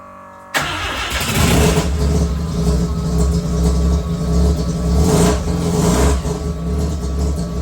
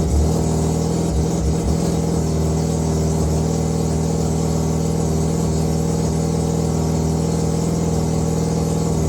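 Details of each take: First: Mazda 323 with 13B rotary engine that began running rough on the drive home after purchase; blocked fuel filter suspected: low, uneven idle that surges and sags, still poor when revved; rough low idle, cause unconfirmed. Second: Tidy Mazda 323 with 13B bridgeport rotary that was running rough, after setting ignition timing with old igniters refitted: steady even idle with a smooth constant hum, no misses or knocks; sounds all right.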